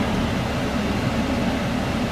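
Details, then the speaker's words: Cummins diesel truck after an AC recharge: the compressor kicks on right away and the cabin is very cold, though the system is still slightly low on refrigerant. The blower gives a steady, even rush of air with a low hum, no rattles or surging, so it is working normally. "it's super super cold in there but it is working definitely have air conditioning now yeah"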